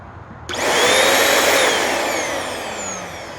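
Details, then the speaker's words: Very old Shark NV22 vacuum, curb find, on position 1: steady even motor whine with airflow hiss, no rattles or grinding; motor and brush roll work. "Well, gee, that sounds fine. Maybe I ought to check the condition of the brush roll spinning."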